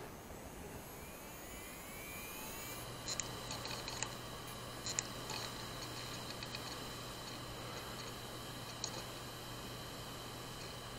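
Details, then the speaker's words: Hard drive after a head swap, unpacked after shipping and restarted: platters spin up to a steady hum, then scattered sharp clicks keep coming instead of settling; the heads have failed and the drive is dead. "то есть мы с вами можем слышать слышите да звуки как работает головка как что работает винт у нас полностью подключен через нашу систему слышим да то есть это проблемы"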